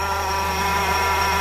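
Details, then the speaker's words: 2-litre Honda Civic (06 and up) at idle with AC off, heard at the compressor from the wheel-well side with the tire removed: steady high-pitched whine holding one pitch; worn AC compressor clutch bearing. "That's the AC housing pump. You can hear it clearly, exactly the same sound."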